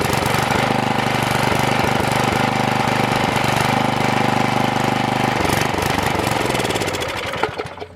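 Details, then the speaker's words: Troy-Bilt tiller freed from being locked up, running without air filter cover; small single runs rough and uneven, sagging and dying off; engine starving for fuel, carburetor not feeding enough. "so we just aren't getting enough fuel in here"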